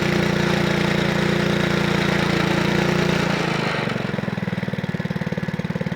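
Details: Honda Lawnflight 553 HRS Pro mower, Honda GCV160 engine, unrun for about 1.5 years, restarted on choke after gearbox rebuild: runs fast then drops to a steady even idle, no hunting; healthy.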